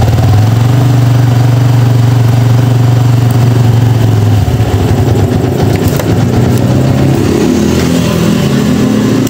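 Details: Yamaha Vixion motorcycle after replacing burnt stator coil (spool), charging voltage previously 19–20 V, normal 10–15 V: engine catches, steady even beat, revs freely and drops back without misses or knocks; normal start and run.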